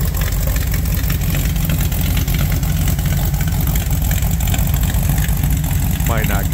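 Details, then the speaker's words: 1974 Ford Bronco after engine swap, V8 with Holley Sniper 2 fuel injection and MSD ignition, fuel pressure about 60–65 PSI, timing set: fires right up into a smooth, steady low V8 rumble with no knocks or misses; normal idle. "good on the camera but yeah it fires right up"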